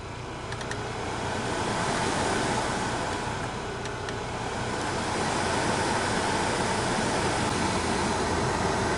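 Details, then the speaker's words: 2002 Opel Vectra C heater blower motor after being removed, serviced and reinstalled to cure a droning growl, on speed one: a steady even fan rush with no growl, much quieter; brushes likely not yet bedded in; normal operation. "да намного тише стал печка работать мне нравится"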